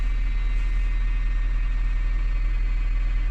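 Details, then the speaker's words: Honda Fit GP5 hybrid after automated manual gearbox repair (came from another shop not starting): smooth even low idle, steady pulse, no knocks or rattles; starts and drives well, throttle body adapting, running normally. "машина уже заводная заводится едет уже хорошо ну всё тачку мы запустили всё нормально работает"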